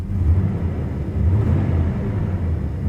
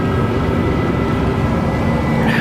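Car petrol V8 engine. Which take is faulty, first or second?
first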